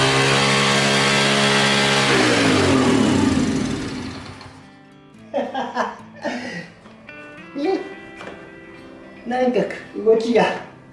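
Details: Honda SS50 after engine reassembly, kick-started with the choke: once the choke goes back, the engine screams at full revs, then winds down instead of idling.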